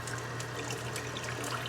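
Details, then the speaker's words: Water running into a basement drain gurgles and bubbles over a low steady hum as it backs up, then goes down; partly clogged sewer drain. "yeah yeah here comes keep it going there it goes and bubbling okay keep going it's going down now"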